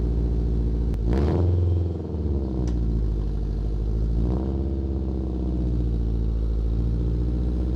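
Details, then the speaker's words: Honda Integra (FWD) exhaust at idle with throttle blips: loud, raspy open-header roar and low chuffing rumble from a huge hole in the bottom of the exhaust flex pipe, before replacing it; exhaust leak. "basically the flex pipe that that I do have right now the bottom of it is there's a huge hole and it's what's causing the open header noise or sound open header sound and I really dislike that"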